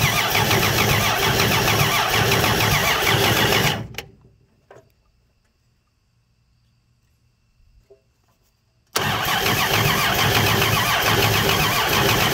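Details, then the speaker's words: Free 239 3.9-liter V6, first start attempt with homemade carb adapter and distributor just installed, fuel poured into carb; steady cranking about four beats a second, engine turns freely but never catches: cranks but no start. "oh it's not doing anything is it so let me give it another just another spritz of fuel here"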